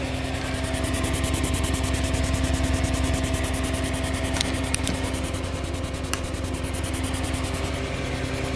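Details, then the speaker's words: Altec Lansing 2200 Mainframe power amplifier, second channel card, no input signal, played through a Community R-Series loudspeaker: a steady hum and hiss with a rasping tick about three per second, like a rubbing voice coil. Amplifier noise; owner suspects mismatched transistors. "turned up the trouble you can hear that definitely now with nothing happening here the hiss is constant"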